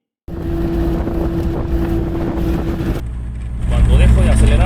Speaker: acelerar ahí se escucha esto es porque cuando frenas sometes a mayor esfuerzo todo el eje de la llanta que a su vez estresa El balero Y si ya está desgastado con erosión en sus partes es probable que suene al frenar